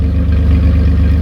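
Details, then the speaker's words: 2007 Dodge Ram 1500, 3.7L V6, after a DIY Walker muffler and tailpipe replacement: deep, even exhaust rumble with a smooth pulse, no rattles or leaks; sounds about like factory. "But it sounds good. It sounds about like it did when it was factory. Some people said this muffler was a little louder."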